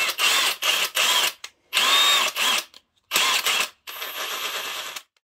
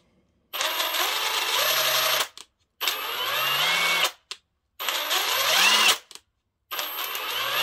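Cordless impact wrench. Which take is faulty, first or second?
second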